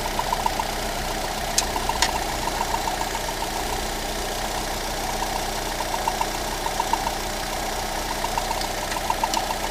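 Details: Lada Granta 126 engine just after full rebuild (bored block, new bearings, 82.5 pistons, new timing kit and valves), steady idle with a light rapid scraping tick; belt tensioner roller rubbing the crank pulley, gone after loosening the alternator belt.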